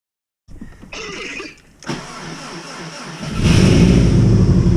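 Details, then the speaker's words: Subaru WRX with hybrid EJ 2.0/2.5 engine, first start on new map, likely cold-start enrichment: brief starter whir, catches first try, settles into strong even idle at 12–13 AFR, no misses, no odd noises or leaks; normal start. "you hear that [ __ ] you hear that [ __ ] first first try bro right at 12 13 AFR which is perfect for the injectors it's probably got some cold start enrichment bro no crazy noises no crazy leaks"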